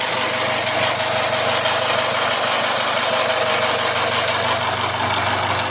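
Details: Jaguar F-Pace 204DTD diesel, self-rebuilt with used polished crank, engine mount just connected: loud harsh running with loose uneven clatter and heavy hiss; rough, owner unsure if normal, suspects exhaust blowing or that it will settle after driving.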